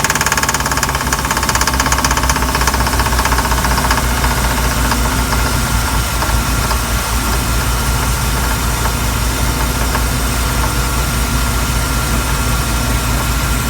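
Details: MerCruiser 5.7 boat engine: heavy, fast, steady knocking that started under load while first pulling a water skier; smooth at idle. Owner later found and fixed the problem himself; cause not stated.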